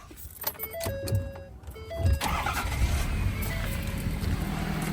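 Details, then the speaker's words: Auction-bought diesel work truck, emissions not deleted, at start-up: a quick crank, then it catches at once into a steady diesel idle. Starts clean and sounds healthy. "Starts right up. I think she sounds good."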